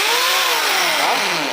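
High motor whine that rises and falls smoothly as the trigger changes speed, with no grinding; the drill runs normally.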